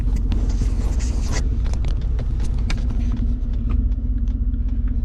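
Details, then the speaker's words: Ford F-150 pulling away: a deep, loud, raspy rumble swells. The exhaust runs open because the muffler and tailpipe slid off the exhaust pipe. "Raspy exhaust, man. Time to jump on it."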